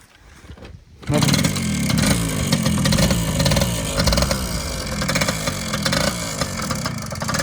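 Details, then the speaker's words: Yamaha PW80 two-stroke after a suspension kit install, started on a very cold day, fires up and revs raggedly with an uneven surging buzz as it pulls away; carb adjustment needed, cause suspected not confirmed. "as you can hear definitely need some carb adjustment we'll get to that may or may not cover that in the video probably will"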